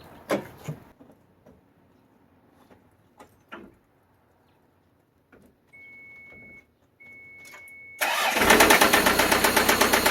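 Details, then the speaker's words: Toyota MR2 5S-FE engine started possibly for the last time before removal: loud, heavy rod knock of about four beats a second that follows rpm, from a failed rod bearing. "uh thank you so if any of you have ever heard of rodnock or want to know what rodnock sounds like this is exactly what it sounds like uh follows the rpm it's loud it's i mean that rod is gone"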